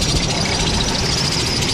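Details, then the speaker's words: Carrier commercial electric heat unit on a roof after diagnosis and partial repair: blower comes on with a steady rush and a faint high squeal; technician says not to worry about the squeaking, it means it's healthy. "so let's oh hey see the blower came on don't worry about the squeaking"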